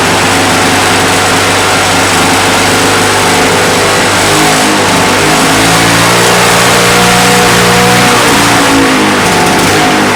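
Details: Roadside-dumped, neglected Victa Mustang 20 two-stroke lawnmower restarted after refuelling and priming: revs up cleanly with a crisp, even buzz and no misfires or stumbling, though some smoke comes off the engine and the owner suspects remaining issues.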